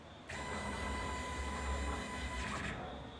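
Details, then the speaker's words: Used 2015 Baileigh PT-22 CNC plasma table after fixing carriage overrunning the limit switch: steady servo whir as carriage homes and stops cleanly at the proximity sensor, no stalling or chatter; normal axis homing. "both axes should do that you see it stops right here at the sensor and you can hear them kind of because they because they know where they're at"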